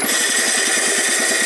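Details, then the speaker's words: Wheel Horse garden tractor, noise began coasting downhill with the clutch pushed in: rapid flapping scrape of about nine beats a second over a harsh hiss. The drive belt is dragging underneath a cover flap; fixed. "you see where that that flap right there is located the belt was dragging underneath that that's why we were hearing that sound so i fixed that issue that's all it was"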